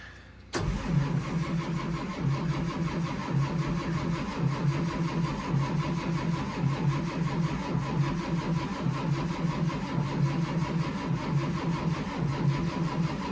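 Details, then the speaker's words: 2004 Blue Bird Vision bus, Caterpillar C7 at about 23°F, windy: slow starter churn, about one heave per second, goes on without catching while the HEUI pump slowly builds injection pressure, with white smoke; extended crank, no start. "What that is the Huey pump slowly building injection pressure. And when you start seeing it smoking, that means it's starting to build a little bit of pressure to fire the injectors."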